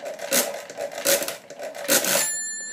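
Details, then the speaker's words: 1950s Thale mechanical calculator during division by repeated subtraction: handle cranks rattle, then a single bright bell rings and hangs on, the normal overflow bell signalling the result went below zero. "now you can hear I've heard the ring so I'm go forward one move to the left subtract go back one move across and back again"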